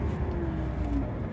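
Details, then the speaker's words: Chery J1 idling around 850 rpm, pulling away from standstill with foot off the brake: engine note rises smoothly and evenly with no stumble or hesitation; normal acceleration, shown after fixing a sudden loss-of-power fault. "so foot off the brake and we go and the car takes off normally"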